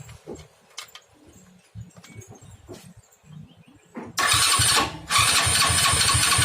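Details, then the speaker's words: Honda Astrea Grand motorcycle with a new battery: electric starter whirs steadily at normal speed in two long bursts but the engine never fires; crank no start. "Namun, benda itu tetap berputar tanpa menyala. Jadi, untuk teman-teman, jika kalian mengalami kasus seperti ini, di mana starter elektrik berfungsi, tetapi mesin tidak menyala."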